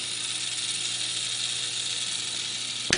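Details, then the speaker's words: Comfort Zone 9-inch cradle fan (three speeds, aluminum blades) on high: a steady, airy rush that is quieter than expected, with no strong motor hum and a faint scratchy rasp of grinding or scraping from inside the fan. "And as you can see, it's really not that loud. And in addition to not being loud, there's some kind of grinding, scraping, scratching sound coming from it, which is unpleasant."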